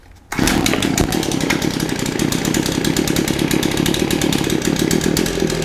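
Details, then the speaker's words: Shindaiwa AH242 hedge trimmer two-stroke, brought in for only accelerating when choked, started on the ground on choke: fires on the first pull and holds a steady, crisp buzz without stumbling while warming up; normal start and warm-up. "a minute to warm up starting on the first pole is a good sign oh"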